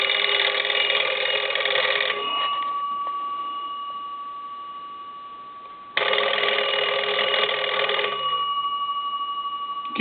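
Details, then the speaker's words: Restored Cracraft Leich wooden wall crank telephone, final checkout after repair and rewiring: two bursts of bright rapid magneto bell ringing about two seconds each, clean sustained tones, quiet gap between, normal. "let me do this let me ring the telephone one more time i want to make sure that the telephone is"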